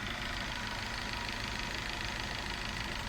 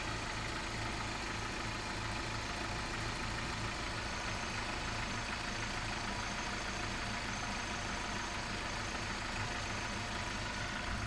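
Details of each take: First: Volkswagen Vento 2.0 AGG at 260,000 km, idling at 800 rpm on propane LPG after switchover: steady idle with fast light ticking from the LPG injectors, engine otherwise running smooth; whether normal is uncertain. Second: Volkswagen Vento 2.0 AGG petrol engine, 260,000 km, running on petrol then switching to propane LPG: normal steady idle at 800 rpm, smooth and even with no misses.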